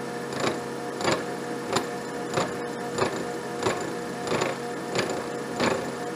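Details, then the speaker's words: Abene mill cutting slot in broach bushing for grinding fixture: sharp periodic thumps about every 0.65 seconds over steady cutting hum, serious vibration; mounting bolts not tight enough, resnugged; machine vibration from loose mounting bolts. "got some serious vibration there [Music] all right to take two i had to snug those bolts again again [Music] thought i had them really tight but i didn't"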